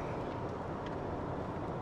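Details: BMW F02 750Li after a previous propeller shaft flexible joint, center bearing and differential oil job: eardrum-pressing cabin boom and vibration, worst at 85–90 km/h; center bearing area suspected as the source.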